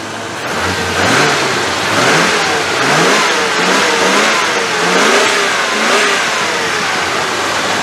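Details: Range Rover on a temporary 40 PSI aftermarket fuel pump, injectors previously blocked, cold and idling a bit high with just over 30 psi fuel pressure. Several smooth, even rev blips with no misfire or stumble; normal revving.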